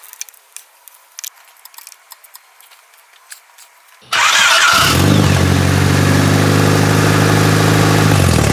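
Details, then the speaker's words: Honda Civic EJ1 after tightening alternator belt that squeaked at startup: cranks, catches quickly and settles to even idle with no belt squeal; belt now fine. "The alternator belt sounds good. It doesn't make that squeaking sound whenever I start it on up."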